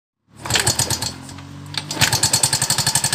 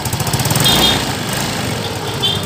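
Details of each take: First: Yamaha Mio M3 scooter idling, rough and noisy at the head: sharp metallic clatter about four times a second from the cylinder head; worn rocker arm roller on the camshaft, quiet once fixed. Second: Yamaha Mio M3 scooter after fixing rough noisy head (suspected tappet/camshaft noise): engine settles into an even steady beat with no head clatter. Normal idle.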